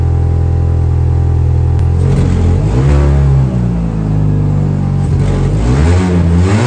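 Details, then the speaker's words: Mini, warm engine revved, exhaust with holes drilled in the catalytic converter and pipe, before welding repair: a deep booming drone that swells as revs climb; an exhaust leak through the holes. "donc bon ça fait un bouquamp pas possible ma voiture c'est pas une voiture de rally euh j'ai pas envie que ça fasse ce bruit"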